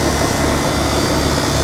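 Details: HVAC outdoor condenser after defrost board replacement and reconnecting the forgotten compressor common wire at the contactor: steady, even fan rush over low compressor hum, no clicks; running normally, though a refrigerant leak was later found.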